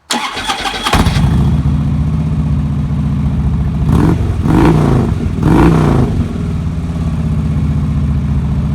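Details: 2009 Harley-Davidson Road King after starter clutch replacement: starter spins a second with no grinding or metal-on-metal clash, twin fires into lumpy even idle with two clean throttle blips.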